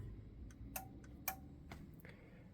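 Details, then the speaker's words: Yamaha A-S3000 amplifier after replacing right amp board (shorted MOSFETs), powering up without going into protection; crisp separate clicks as speaker relays A, B or both switch cleanly over faint hum; normal relay switching. "Vous venez d'entendre les relais que l'on peut désactiver, activer A, B ou les deux."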